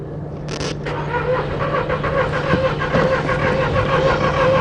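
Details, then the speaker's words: 2002 VW Polo 1.2 three-cylinder AZQ petrol, previously a non-start, after fitting three new coils; brief crank then catches into steady even running with no misfire; normal engine start after fix. "she's alive simply diagnostic fix is another one"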